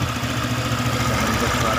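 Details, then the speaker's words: Honda PCX 150 after tune-up and valve clearance adjustment, air filter off and CVT not yet cleaned: steady even single-cylinder idle, no rattle or tapping; previous rough valve noise gone, engine sounds clean. "suara mesin hampir bersih untuk bagian setelan klepnya, karena yang saya dengarkan tadi agak sedikit ngeresak risih ya."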